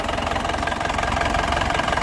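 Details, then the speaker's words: 2010 Isuzu Panther LS Turbo diesel, about 50,000 km, idle right after start: even, crisp diesel clatter with no ticking, knocking or missing beats, engine not shaking, so the idle is stable and healthy. "mesinnya dari suaranya kelihatan masih jos ya suaranya masih renyah khas pentter mesinnya penampilannya tidak goyang kalau goyang biasanya pincang ya Jadi ini stabil stasironnya stabil itu tandanya mesinnya sehat"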